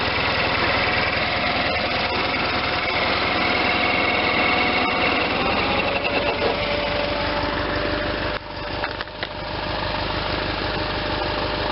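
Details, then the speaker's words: Case Ingersoll 448 hydriv garden tractor with twin-cylinder Onan engine, running after installing a fully rebuilt N46 mower deck with a new belt: even running with a steady deck whir, no slapping, squeal or grinding; belts tracking well. "okay just ran that for a few minutes there everything sounds good the belts are tracking good"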